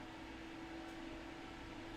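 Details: Custom-built gaming PC "Black Knight" with side panel off: fan tuning profile loaded at 100%, soft even airflow rush with faint steady hum, no rattle or grinding. Healthy fans at full speed.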